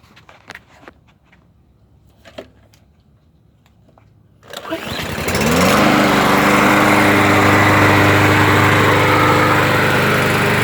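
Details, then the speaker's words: Briggs & Stratton 625 EX mower engine, cold start, auto choke, no primer, after ultrasonic cleaning of plastic carburetor that caused surging: starts on one pull, settles to steady even beat, no hunting or surging; normal idle. "so yeah so it's running good uh it's not surging anymore well and it's starting up one pull"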